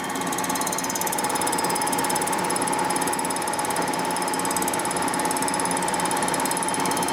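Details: Warped 1957 Harley Panhead cylinder head with a blown head gasket being resurfaced on a milling machine: steady cutter ring with fast, fairly even ticking, about three per second, as it clips only the high spots; interrupted cut on warped surface.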